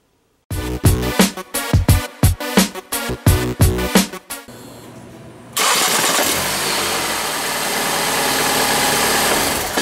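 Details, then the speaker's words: 2008 Ford Escape engine rattling at start-up and under acceleration (also when stopping); loose metallic rattle from a cracked flex plate, which moved by hand with the starter removed while the crank stayed still; fixed by removing the transmission and replacing it. "I've got a really easy repair that I've done on a '08 Escape. It has a rattle noise when you start it up and accelerating."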